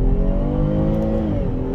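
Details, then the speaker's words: Car on a road test drive at full throttle after half-throttle runs: strong pull, pitch climbing steadily, then a smooth upshift; no rattling; healthy engine. "no vibration in the brakes the shifting feels smooth the engine sounds healthy no rattling"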